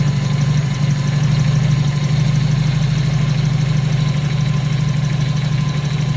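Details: 1997 Toyota Corolla with hard starting, just after a cold start: a slow, deep, slightly uneven idle rumble pulsing about three times a second; cold idle speed too low.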